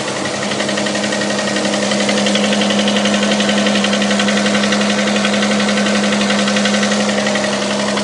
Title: стук в двигателе 6GEA